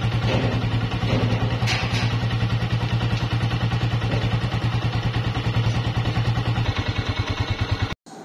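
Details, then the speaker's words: 2017 Honda CG 125, 30,000 km, after replacing cam gear, half kit, magnet seal, piston rings and engine oil: single-cylinder idles with an even, steady thump, no ticking or knock; noise fully cleared, normal idle. "तो दोस्तों आपने इसकी आवाज भी check कर ली अल्हम्दुलिल्लाह आवाज 100% clear हो चुकी है"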